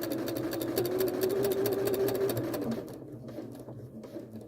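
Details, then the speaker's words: Janome sewing machine fitted with the even feed (walking) foot, quilting a straight stitch through doubled wadding: quick, even clicking at steady stitching pace with a low motor hum, busier-sounding than a regular foot; normal running. "it's quite a busy foot so you know it's going to it's going to do quite a lot because it's got all of this going on on the top it's going to sound very different to your regular foot"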